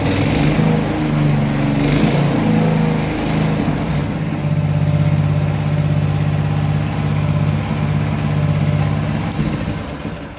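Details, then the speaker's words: Cultivator single-cylinder after cylinder head replacement, valve seat found pushed out, likely from heat: runs with a steady even low beat, no misfire, picks up revs cleanly; healthy. "все чтко не троїть роби рівно набирає рівно"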